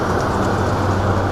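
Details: Booth exhaust fan at startup after soft-start ramp-up (about 45 seconds), rotation checked and correct: steady rushing airflow with even low drone, no rubbing, rattle or bearing noise; fan running normally.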